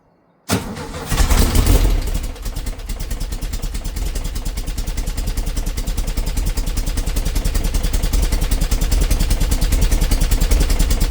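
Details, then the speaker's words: 57-year-old VW Bus, cold start after a Vintage Speed exhaust fit and a coil replaced for a hot misfire: starts quickly and settles to an even chuffing idle, about three beats a second, no stumble; exhaust seems quieter than standard. "So, that was a cold start and as you can hear, is running a lot better. And that exhaust, I think it sounds a little bit quieter than standard."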